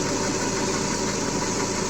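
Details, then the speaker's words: Chevrolet (Aveo/Optra/Corsa type) with a high-idle complaint (about 1300 rpm earlier) now holding steady at roughly 822 rpm with TPS signal at 0%: low, even idle hum, no surging or hunting. Voltage spikes could come from coil wires or poor grounds. "se acelera un poquito más en esta partida regreso a cero en ralentí se encuentra estable"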